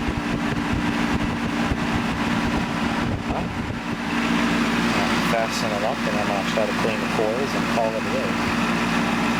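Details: 1988 Tempstar AC condenser after replacing the seized fan motor: steady, even hum from the condenser fan and compressor with no scraping or rattle; normal condenser running.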